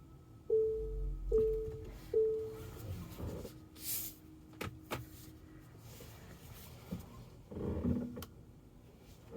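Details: Tesla Model Y cabin: three short chime tones, then scattered dull clunks and knocks at irregular intervals.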